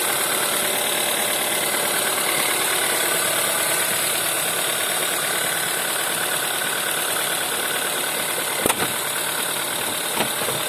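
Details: VW 1.4 TSI CAVD engine at cold idle: a sharp, fast metallic tapping riding over the engine and keeping time with revs. Cold-start knock, source unknown.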